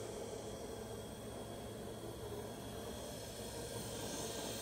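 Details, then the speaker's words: Cincinnati (USA) universal tool and cutter grinder, 1120x150 mm table, spindle running: quiet even hiss with a faint steady hum, no noise, knocking or vibration from the spindle; it runs smooth and healthy. "you can hear, there is no noise from the spindle, there is no vibration from it."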